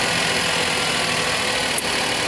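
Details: Maruti Suzuki WagonR K-series on company-fitted CNG, earlier misfiring on CNG with code P0202 injector circuit open cylinder 2: small engine idling smoothly and evenly on gas, no stumble, after the wiring problem was traced.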